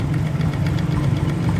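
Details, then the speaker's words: 2017 RS 125 carbureted single-cylinder motorcycle at idle; rapid busy clatter over the low thump, ticking from the top end, cause not yet pinned down. "So nakikinig ninyo is meron talaga siyang lagitik na hindi ko alam kung anong sir"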